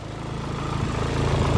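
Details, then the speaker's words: Turbocharged Nissan 240SX S14 Zenki with solid mounts, fully warmed up, with turbo noises and AFR settling at 14.6: a steady, even low rumble with no misses or knocks, settling smoothly after a rev. Normal warm idle. "should be all warmed up let's see there's something cool - turbo noises that's kind of cool"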